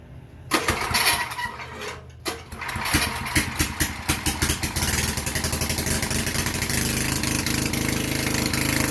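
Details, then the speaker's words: Vintage Generac Niagara 2250 W generator, model 5621-0, Tecumseh 5hp single-cylinder, after gas hose and air filter replacement, restarted in a garage with an appliance plugged in: catches after a few sputters, then steady, even drone under load, producing power. "all right whoa we have power it's good news good news good news we have power i am inside the garage so i don't want to run it too long but uh seems like it's running"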